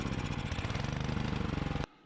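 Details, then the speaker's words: Cub Cadet 420cc three-stage 30-inch Pro H series snow blower (audio muffled): it will only run on full choke, with a rough pulsing beat that falters and dies when the choke is backed off. The owner suspects two-year-old ethanol gas and plans to clean the tank and carburetor. "but what's the problem here is the engine will only run on full choke you can see when i try to take it off of full choke it wants to die right out"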